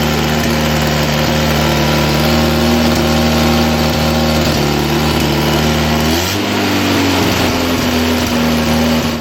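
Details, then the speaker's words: 1961 Austin Healey Bugeye Sprite four-cylinder, first start after restoration, good oil pressure: steady idle with a raspy chuff on each exhaust pulse from a leaking exhaust donut gasket that needs tightening. Carburetors still need adjusting. "You can hear the exhaust leak from that donut down there. I've got to fix that, tighten that up."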